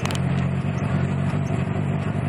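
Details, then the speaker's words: Mazda MX-3 1.6L stutters and misfires under light load while driving below 1500 rpm on any throttle, uneven dips over a low drone; intermittent and worsening, also affects idle, cause unknown. "under 1500 rpms it stutters when i give it any kind of gas"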